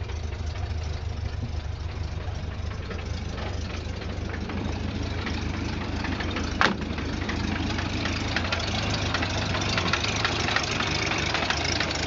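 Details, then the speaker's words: 1929 Ford Model A pickup flathead four-cylinder, hood open, after a drive: low, slightly lumpy idle with a light puffing tick on each firing pulse, from a bit of an exhaust leak; updraft carburetor. "there she is an old Flathead it's got a bit of an exhaust leak"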